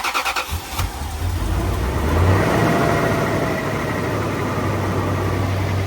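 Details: 2003 Toyota Tundra after the throttle body was cleaned and refitted: starter cranks about a second, engine fires cleanly, revs up smoothly and holds steady; healthy start.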